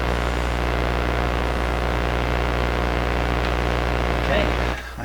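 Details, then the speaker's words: Sparton 1567 tube radio after altering the power-supply filter network to lower excessive B+ (now about 200 V): a steady low hum sits under the output. The hum may have been there all along; its source is unconfirmed. "that's what there was a bit of a hum there but it may have been there all along"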